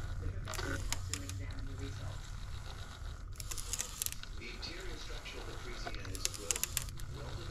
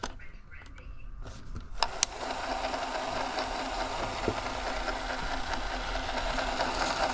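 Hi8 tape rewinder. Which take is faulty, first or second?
first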